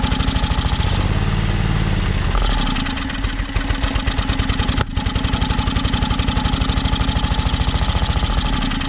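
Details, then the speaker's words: John Deere X485 riding mower after fresh gas added and plugs checked: uneven, chugging idle that stumbles and nearly drops out before recovering; sounds fuel-starved, owner suspects tank air pressure, not confirmed. "so so i guess my battery's about dead but that's a good sign so sounds like it's definitely um sounds like it's starving for fuel"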